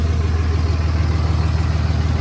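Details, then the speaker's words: 2006 Ram 3500 3rd-gen Cummins common-rail diesel at idle after turning off the EFI Live 12-valve tune (tune 3, no pilot injection): the rattle instantly goes away, leaving a smooth, even low idle with no harsh clatter. "Then I'm going to turn it off. Instantly that rattle goes away."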